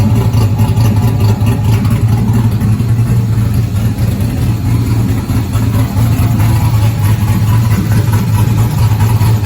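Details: 1971 Chevelle body on stock car chassis, 5.3 LS swap with Holley Terminator, Sloppy best cam, LS7 lifters, PAC 1219 springs, headers with cheap gaskets, first start in 30 years: deep steady V8 burble, even beat, no knocks or misses. Normal idle.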